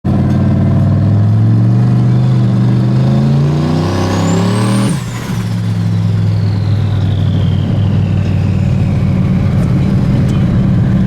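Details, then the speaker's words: Turbo car pulls hard and climbs in pitch, then chops off abruptly like hitting boost cut, cause unconfirmed; owner suspects wideband misreading, and the car ran better after removing 15% fuel everywhere. "like a hard cut like I'm hitting boost cut or something"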